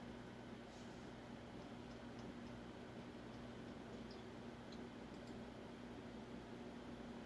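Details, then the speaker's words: Fasco Parlour-fan ceiling fan model 952 with metal flywheel, running: only a faint, even low hum with no knocks, rubbing or rattles, a very quiet, healthy motor. "I mean, that's definitely bedroom quiet. I don't hear anything yet."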